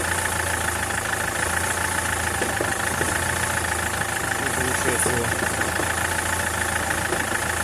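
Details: SsangYong Kyron diesel idle with loose, irregular knocks about every second or two over a steady drone; worn dual-mass flywheel with excess play.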